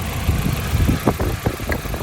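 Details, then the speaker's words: Nissan Silvia S13 CA18DET four-cylinder misfire: lumpy, uneven, rattly idle with irregular stumbles; pulling cylinder 3's ignition coil leaves the engine unchanged, so cylinder 3 is dead; next the coil is swapped to cylinder 4 to test it. "engine stays the exact same so that's the cylinder so now we've gone and we've narrowed down that cylinder tree is our problem"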